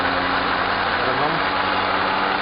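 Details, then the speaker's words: 2011 Renault Logan: no noise in first gear, but in fifth a steady droning hum with a rough rushing layer comes from the front right. The wheel, CV joint or gearbox bearing is suspected, not confirmed. "Primeira marcha ele não faz o barulho. Vamos lá, coloca outra marcha, ó, segunda ou terceira, ó, se está dando para vocês ouvirem, hein? Agora. Coloca a quinta marcha. Ó. Vira agora o barulho. Esse barulho aí."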